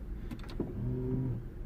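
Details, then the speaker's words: 2012 Vauxhall/Opel Meriva B petrol with locking-system warning light, code B2524-59: pulling the handbrake auto-unlocks the doors, short motor whirr and soft clunk as actuators release; normal door unlock. "as soon as I pull the handbrake, that goes to open. So it unlocks straight away, which is fine."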